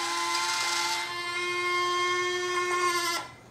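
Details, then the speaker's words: Freewing PJ50 twin 70mm EDF RC jet (AR637 receiver) after ESC calibration: a steady mid-pitched electric motor whine lasts about three seconds, then stops cleanly as the landing gear retracts normally. "Next thing we're going to do, we're going to check our landing gear. So let's turn the airplane sideways here. We're going to flip the switch."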